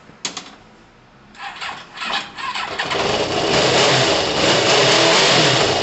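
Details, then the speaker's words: Kawasaki ZL600 started cold after months sitting, with new coils, tuned carbs and valves done; catches after a few tries, then settles to a steady, even run and revs cleanly with no knocks or misfires. "t's just woken up after months yeah it sounds good no it sounds amazing"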